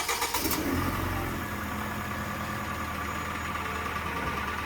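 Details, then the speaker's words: Hyundai YF Sonata, Theta II gasoline engine, 85,000 km, just started: settles into idle with a fast, dry rattling scuff over the engine note, also loud inside the cabin; consistent with piston slap, unusually severe. "갈갈갈갈 이런 소리 있지? 이게 YF에서 특히 많이 나. 심한 차가 있고 좀 덜 심한 차가 있는데 조금 특히 심하네."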